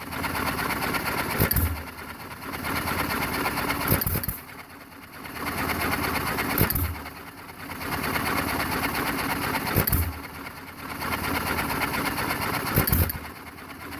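Slow engine fires a burst about every three seconds, coasts quietly, then fires again; even, healthy hit-and-miss running.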